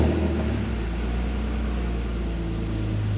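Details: BMW E46 328Ci drift car started after a Walbro 255 L/h fuel pump and a new fuel filter were installed. The ignition was cycled to prime the system, and air bubbles were heard in the return line. It runs with a deep, steady rumble and even firing with no misses or knocks, and the engine work is done.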